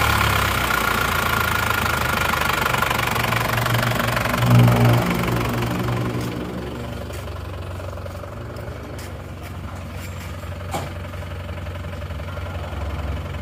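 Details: Panther diesel after cylinder liner replacement, warm at working temperature; injector nozzles 2 and 3 still leaking, fix pending: even diesel clatter eases and settles into a smooth, steady idle. Engine sounds healthy.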